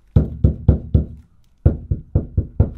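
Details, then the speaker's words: Campervan side panel after applying PeaceMAT sound deadening sheets, hand-tapped nine times: dull low thuds dying quickly with no ringing, tone and frequency dropped, deadening working. "you know that tone has dropped right down the frequency is a lot lower so it's going to deaden that noise"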